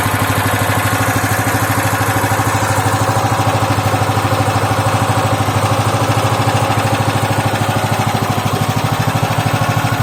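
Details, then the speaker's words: Loncin 15 hp single-cylinder engine, first start with fresh oil and petrol, started on second try: even, steady chugging idle that never stumbles or misses; healthy. "Ланчин 15-сильный, первый запуск. Масло залили, бензин залили. Завелся со второго раза."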